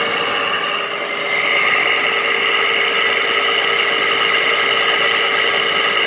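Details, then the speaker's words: 2010–2013 Frigidaire window air conditioner with a Toshiba compressor and Welling fan motor, left outdoors at least 3 years: constant high-pitched squealing whir over the running hum from horribly worn fan motor bearings. "There are actually still Frigidaire units in my neighborhood that run with horrible bearings just like this. Dang, this thing sounds like a Sharp. It really does. That's how bad it is."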